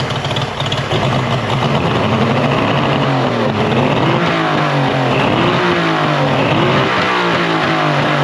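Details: Mercury 50hp three-cylinder two-stroke outboard after full service, new switch box (old failed DVA test at about 230V) and clogged telltale hose cleared: steady even drone rising and falling slightly with throttle, runs great.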